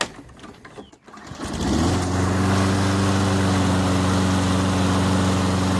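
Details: Toro Recycler 22-inch push mower with a 190cc Briggs & Stratton engine, after Power Foam carburettor cleaning and air filter refit: pull-start catches after a second, then a steady, even single-cylinder drone with no surging or misses; runs normally.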